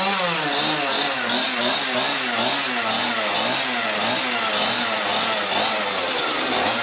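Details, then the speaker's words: Small two-stroke machine (one of a Mantis rototiller, Homelite blower and Homelite chainsaw) that sat for years starts right up with the choke half out after its slightly dirty carburetor was cleaned. High buzzy two-stroke holds a fairly steady speed with slight wavering; running normally. "Well, that's unexpected. Started right up. So I must have cleaned out what needed."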